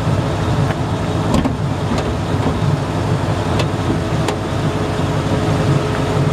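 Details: 1954 Ford F100 with 302 V8 and automatic, under-hood: smooth, steady low rumble at idle, no misses or knocks, only a few light clicks; engine runs healthy.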